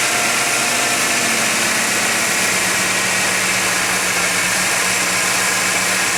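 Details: 1991 GMC Jimmy, up to temperature at 55°F ambient, holds a steady elevated idle with an even hiss and no stumbling. Flammable spray found no vacuum leak. Owner suspects a false-reading air-fuel or other sensor. Unconfirmed.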